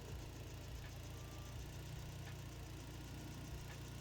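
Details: Toyota 22R-TE turbo four-cylinder pickup (22RE, Haltech) idling smoothly and evenly when warm, steady low hum, no misses; normal idle after the rough idle was fixed by adjusting the idle speed screw following a slipped alternator belt.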